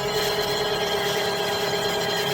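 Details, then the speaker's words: 2010 Chevrolet Aveo after replacing the auxiliary belt tensioner, whose worn bearing made a winding, grinding noise: heard from under the wheel arch, a steady even idle with a smooth hum and faint tones, no grinding. Quiet belt drive, normal idle. "All working fine without an issue. before we could hear the winding grinding noise from the tensioner because of the worn out bearing."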